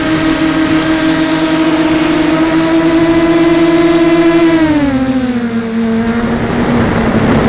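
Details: SunnySky 2204 motor on a 250 mini FPV quad: steady high whine sagging with throttle, rough gritty edge underneath; a shelled-out motor bearing.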